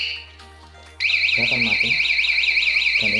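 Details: Remote alarm with pink and grey stop-engine wires in anti-robbery mode: loud high warbling siren sweeping about three times a second as the alarm trips and cuts the engine.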